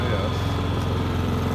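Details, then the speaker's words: Honda EU7000is inverter generator on eco throttle running a 2-ton central air conditioner, back-fed into the panel: steady low drone with even hum, no surging or hunting; carries the load smoothly, normal. "now it's running my Tucson air conditioning unit the phone Eco throttle"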